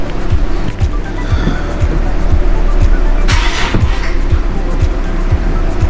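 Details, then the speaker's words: Nissan 370Z VQ engine after fitting a 30-row oil cooler: steady starter cranking with even compression pulses about twice a second and no firing. Cam position sensors unplugged on purpose to prime oil through the lines and cooler; no codes afterward. "yep definitely doesn't want to start so i'm only going to do that a few times"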